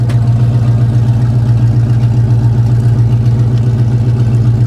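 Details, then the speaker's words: Chevy C30 V8 at raised high idle while parked. A deep, even rumble with a steady pulse and no misses or pops; it runs fine parked, but the owner reports bogging and backfire under load and suspects the carb secondaries. "still at high idle there it goes"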